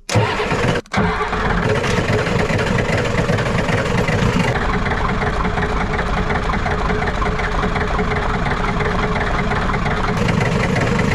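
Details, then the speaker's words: Ford 7.3 IDI diesel after glow plug wires were reconnected: long steady cranking drone with no clean catch for several seconds before starting. Long cranking, possibly air in the fuel system. "go we might be dealing with some uh air in the system"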